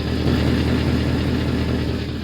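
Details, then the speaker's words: Mercedes-Benz C63 AMG V8 idling low and steady: quick raspy puffing tick under the rumble from an exhaust leak underneath. "And another thing is well, we got an exhaust leak. You guys can probably hear it somewhere down here."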